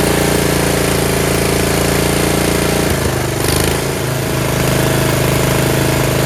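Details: Yard Machines (MTD) 38" riding mower, 13.5 HP Tecumseh engine: even single-cylinder chug, note settling slightly lower after a few seconds, no tapping; normal running. Owner suspects possible carb issue after an earlier stall.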